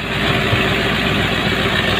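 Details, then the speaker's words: Fully rebuilt, rebalanced P76 4.4 V8 on a test stand with twin Zenith Stromberg CD carbs, Harley mufflers, near operating temperature, untuned: steady, even idle, loud smooth exhaust drone, no knocks or misses. Normal idle. "the vacuum gauge is not connected properly but it's not running too badly here we go like i said it's not it's not being tuned"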